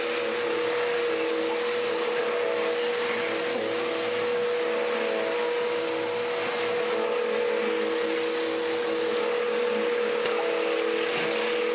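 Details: Restored mid-1990s Dirt Devil DD6114 upright vacuum, an Electrolux Contour clone, running on low: a steady, even motor whine with a constant pitch and airy rush, no rattles or surging; it runs smoothly but is mediocre.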